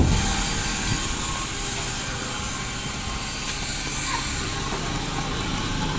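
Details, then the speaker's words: 2009 Daihatsu Gran Max at steady idle gives a constant droning hum and hiss with no knock, traced to a worn idler pulley bearing on the V-belt drive. "Ini dia teman-teman, mesinnya kita sudah hidupkan. Jadi suara mesin ini mendengung."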